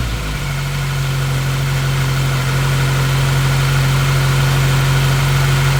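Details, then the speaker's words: 1999 Mazda Miata with built 1928cc 11.0:1 engine, first start after sitting six years: settles into idle with a low, lumpy beat; misfire, owner suspects a coil pack and plans coil packs, plug wires and plugs. "it runs got a bit of a misfire i think it's a coil pack i was told that might have been an issue when it was parked"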